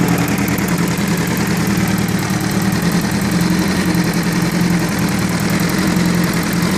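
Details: Honda CBR1000F motorcycle idling with a fast, steady metallic ticking over the engine hum, from a noisy timing chain.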